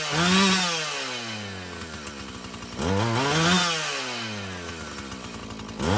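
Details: Husqvarna 445 chainsaw after cleaning and tune-up: crisp throttle blips about every three seconds climb cleanly to high revs and drop straight back with no hesitation or bog; the carburetor may need more adjusting as its diaphragm loosens.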